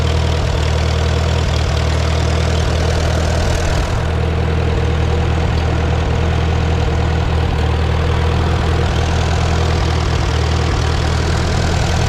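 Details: Farmall B tractor after radiator, governor, gasket and alternator belt work, warm day: smooth, even low idle with steady beat and no ticking or rattles, after alternator bracket moved up to stop fins ticking; engine sounds healthy.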